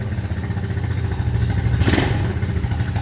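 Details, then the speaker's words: Quadrunner ATV-to-buggy build, engine very cold, air box disconnected (no intake connection): rough cold idle rises into a quick crisp rev and drops back. Revs right up, normal free revving. "There's no air, there's no connection to the air box. As you can hear, it revs right up. Very cold, too cold."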